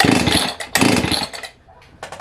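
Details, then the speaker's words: Jonsered 670 chainsaw bought from a pawn shop, with decent compression: two harsh pull-start bursts with a rough rattling "death chatter" and no firing. Suspected to be in the clutch area, or the piston may be worn. "I can hear what I like to call a death chatter um that sounds pretty rough just cranking it but it could be something in the clutch"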